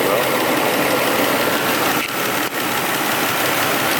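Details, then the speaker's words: Mercedes-Benz W140 S600 V12 saloon, new wiring harness installed, owner unsure if mass air sensors need work; engine bay, hood open, outside: steady smooth idle with even quiet hiss, no misses, knocks or ticking, tight healthy-running engine. "runs like it should it's a tight tight tight running little Minka"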